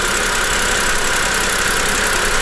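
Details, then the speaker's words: BMW E90 N52/N51 engine after replacing the alternator, tensioner and idler pulley: even, steady idle with a smooth belt whir and no squeal, chirp, rattle or pulley wobble; normal idle. "so everything seems to be in our ship shape belts are good tensioner is good the alternator is spinning and there is no wobble"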